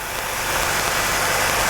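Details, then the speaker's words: 1985 Jeep CJ7, 4.2L 258, new throttle body fuel injection kit, started after removing the ALDL jumper: steady, fast, even hissy idle at about 1200 rpm on the timing-light tach. It sits high until the throttle stop is adjusted to 725–750 rpm. "I'm going to have Charlie start it up now and you notice that it didn't rev up real high it is running high right"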